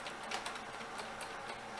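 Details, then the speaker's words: Hard drive in a refurbished Dell Optiplex 760 (LGA 775) at power-on, no VGA output: sharp dry ticks several times a second over a quiet hum; failing drive suspected, not confirmed. "hard drive is making bad hard drive sounds that hard drives should not make"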